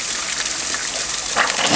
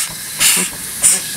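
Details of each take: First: Overtype steam engine boiler at its first steam-up in 30 years: the injector primes with a hissing gush of steam and water that surges and drops off but fails to feed. Not enough steam pressure is suspected; the Metropolitan injector then worked. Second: Overtype high-speed steam engine with top valve gear, run below full rpm because not on a solid base, boiler with coal and wood fire doors: soft even exhaust chuffs and hiss about every half second, no knocks; smooth normal running.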